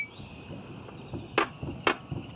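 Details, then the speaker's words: 2001 Volkswagen Jetta VR6, body pushed down by hand at left rear: three sharp metallic taps with faint squeaks from the right rear suspension; cause unknown, rear shocks to be removed. "Now what I want you to listen to, you hear that little tapping, clanging sound?"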